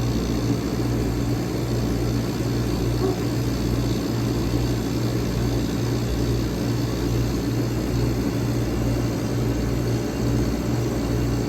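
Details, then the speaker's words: 1965 Weather Wheel vintage air conditioner with classic Tecumseh AJ compressor, back in service after annual inspection, running on a separate fan and already getting cold; steady low hum with even fan whoosh, no rattles or knocks; normal running. "1965 Weather Wheel is in operation. The annual inspection was completed and the Weather Wheel is back in service. Look at that, classic Tecumseh AJ compressor. Already getting cold."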